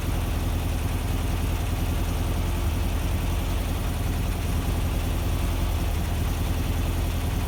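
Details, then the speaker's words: VW Vanagon Type 4 air-cooled engine after rebuild, cool start after sitting an hour following a drive: smooth, even low idle with no knocks, ticks or misses; normal. "it's a cool we'll call it a cool startup so let's start it up then and we can listen to it idle all right"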